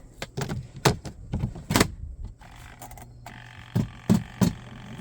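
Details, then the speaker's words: Costway portable spin washer, spin cycle: irregular heavy thumps (about three a second) over a faint motor hum as clothes piled deeper on one side unbalance the basket, making it loud and dance. "And if you hear it, and you hear this sound, it means that your clothes are not even. So I probably have one side, yep, kind of deeper than the other."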